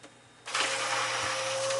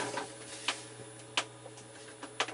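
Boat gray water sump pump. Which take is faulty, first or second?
second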